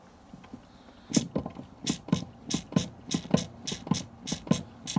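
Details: Sharp clicks in pairs, about two to three a second, very regular over a quiet background; owner asks whether it is a bad brake master cylinder, cause unclear.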